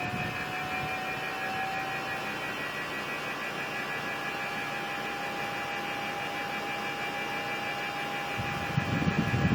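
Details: Mitsubishi Mr. Slim indoor unit: steady high whine over even air rush throughout; owner suspects the motor, possibly fan or motor bearing whine.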